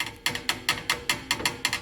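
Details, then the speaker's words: 2015 Toyota Corolla S with 83,000 miles, front passenger door: sharp hollow knocks, about four or five a second, as the door is opened and closed; window works fine; rattle traced to a loose door reinforcement bar. "Owner said, hey, I think when I open and close the door, something rattles in the door."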